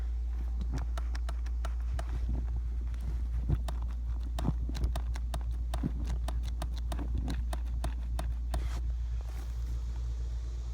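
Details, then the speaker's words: 2019 Mustang passenger seat, kept in the garage overnight, microphone under the seat: sharp, irregular clicks two or three a second when pushing straight down; not the track, cause unknown, stops as the seat moves forward. "yeah the problem is not the track i'm pushing straight down on the seat"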